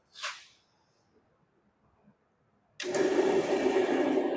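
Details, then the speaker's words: 54-year-old discarded bandsaw fired up before teardown: after a pause the motor spins up to a steady, even hum with constant tone, no grinding or knocking; running normally. "running. Everything seems to be running like it should."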